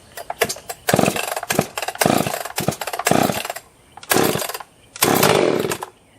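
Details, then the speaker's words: Husqvarna 261 62cc two-stroke chainsaw, essentially stock, carb rebuilt, started from cold with choke; fires and revs cleanly in short throttle bursts without bogging or stalling, running healthy. "261 62cc, pretty much stock formation. Basically just rebuilt the carb in it. That's pretty much it. See how it does from a cold start."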